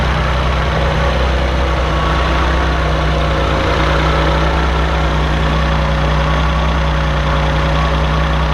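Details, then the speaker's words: 1984 Maserati Biturbo with a fuel-injected engine swapped from a 1989 Biturbo and a new fuel pump fitted for hesitation. Even, steady low idle hum with no knocks, misses or surging; it came down on its own, quieter than the choked cold start. "You'll hear that it's idling a little bit quieter now because that was a cold start that I had done in the shop. So it was a little choked out there, and then now it has been brought down all on its own."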